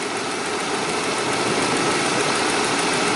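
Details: 2007 Saab 9-3 just restarted with a new battery after a no-crank dead battery, about 90°F: even, steady idle with a smooth hum and no knocking, misfire or belt noise; engine running normally.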